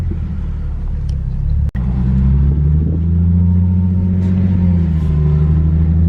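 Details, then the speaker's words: Infiniti G37S driver-side wheel while driving: deep steady drone swelling as the car rolls, getting louder, feels like wheels about to fall off; owner suspects loose wheel bearing, not confirmed. "definitely a loose wheel bearing this is definitely not what you want your car to sound like and if you do hear the sound go see a technician right away"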